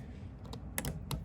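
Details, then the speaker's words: Freelander RV battery disconnect switch (use/store) that cuts off the house batteries: two or three sharp, short clicks over a quiet hum as it is thrown on and off; normal switch click. "And you'll hear this click when you turn it on and off. What this does, this actually disconnects your house batteries, which are in here."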